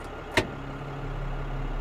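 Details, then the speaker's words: Rebuilt Muncie TG Series PTO on a dump truck, engaged by putting the transmission in drive, engaging the PTO, then returning to neutral: one clunk as drive engages, then a steady low hum over engine idle with an even hydraulic pump drone; normal operation. "then we're going to put our PTO in then put it back in neutral input shaft starts spinning the trans again and pto's engaged"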